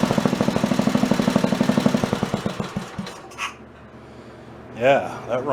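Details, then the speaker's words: Wisconsin BKN stationary engine, fully warmed up, after Fairbanks Morse magneto repair with temporary plug wire: crisp, even firing about four beats per second, then shuts off and coasts; runs like new, valve lash possibly slightly loose. "That runs pretty good. Engine is fully warmed up."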